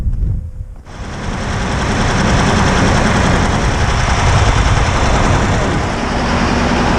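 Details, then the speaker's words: T-150 tractor diesel that started knocking on the drive back to base, started for about five seconds: heavy, rapid knocking about four per second over loud diesel clatter. A loose half-spring was found, possibly from a valve; injectors still to be checked. Cause unknown. "ехать на базу застучало что-то движка о чём тут такой"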